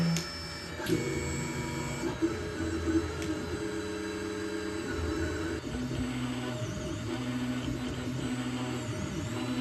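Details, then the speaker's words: Stock Anycubic Mega S 3D printer, original firmware and stock stepper drivers, before upgrade, starting a print: loud, buzzy, tuneful motor whines changing pitch with each move; most of the noise comes from the stepper motors. "now printer is start printing and you could hear how loud it is especially the motors so the the most of the noise on this printer comes from the motors"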